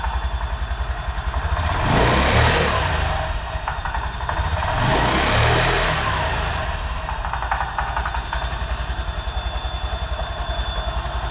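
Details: Honda Beat/Vario/Genio-type scooter, started after fitting a Brisk spark plug and an upgraded plug wire. Even, steady idle pulse with two clean throttle blips that rise and settle smoothly, no misfire or stumble; it runs normally.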